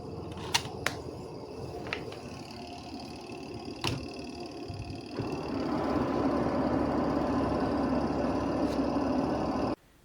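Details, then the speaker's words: Washing machine spin dryer after removing wrapped cloth: after a few handling clicks the drum spins up to a smooth, even hum, no thumping or rubbing; normal spin after repair. "Nah, setelah kita lepaskan kain yang melilit itu sekarang ayo kita tes. Kita lihat hasilnya seperti apa. Tuh langsung mulus suaranya, Guys."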